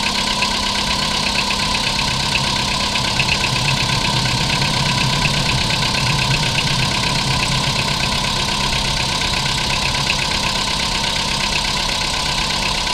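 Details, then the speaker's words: Metallic knock heard after a cold start on a 2011 Polo Sedan at 25,252 km, recorded at the dealer in February: steady idle with light fast metallic ticking over engine hum, louder at first then fading. Cause unclear. "Вы слышите этот металлический звук? Да, я слышу."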